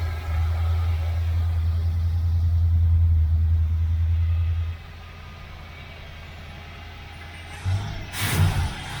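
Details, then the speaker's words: Cold start of a 77 Corvette V8, not run in a while, primed with gas down the carburetor: fires first crank into a strong steady low rumble, then settles quieter with no misfires or rattles; normal start and revving. "okay let me pour a little gas down the car with a vet here and we'll start it up fired right up first crank or a little gas down it"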